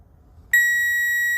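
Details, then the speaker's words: Relay test in a fuse panel with a power probe, coil energized through pins 85 and 86 and power input on pin 30: clean, steady high beep when the probe touches output pin 87, showing power out; the relay circuit works. "So with this energized coil energized from 85 and 86, pin 30, you're getting a power input. You should have power coming out on 87,"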